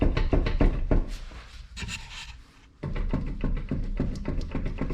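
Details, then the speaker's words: 2012 Subaru Outback with a loud growl from the rear, car jacked up and wheel spun: rough, rhythmic grinding growl from a bad rear wheel bearing, fixed by replacing the rear hub assembly. "there you go bad wheel bearing as soon as I said it figured out I figured that's what it was didn't really have to test drive it but test your Albert heard the growl that's what it is"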